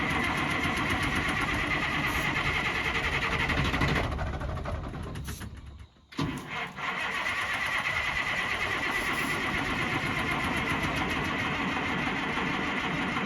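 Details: Kenworth K100 cabover, small-cam 350 Cummins diesel, 16-speed, sat 5-20+ years: loud diesel labours unevenly, cuts out near six seconds and catches again, running only on ether as it couldn't pick up fuel from the tanks.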